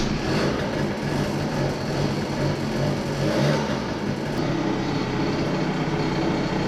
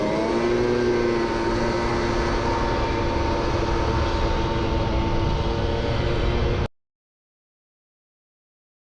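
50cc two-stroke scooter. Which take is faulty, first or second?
second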